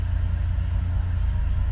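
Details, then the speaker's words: 1981 Ford truck after PCV valve and grommet replacement, engine hot: steady, even low rumble with no knocks, misses or surging in drive; idle a little high but good. "Idle's a little high, but in drive that idle's not bad."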